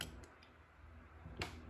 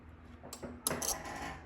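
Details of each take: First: Microcontroller breadboard driving solenoid relays with a 3.3 V signal, code setting pins low one after another: crisp single clicks about every half second as relays close in a quiet room. The relays are switching normally. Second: Relay chattering, a short burst of sharp uneven metallic clicks, during code upload: valve 4 is wired to microcontroller pin 13, shared with the onboard LED, so the LED's flashing rattles the solenoid relay, which can damage it over time.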